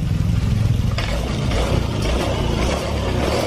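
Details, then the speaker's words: Honda Vario Techno 125 injection scooter after repair, engine smooth and quiet with normal injector ticking; before repair it ran rough and knocky, lacked power, stalled at idle and lost radiator coolant; normal running. "Ini ada suara tik tik tik tik, tik suara injektor. Ya, untuk Vario 125, Vario 150, saya kira suara segini wajar, ya, normal untuk motor Vario injeksi."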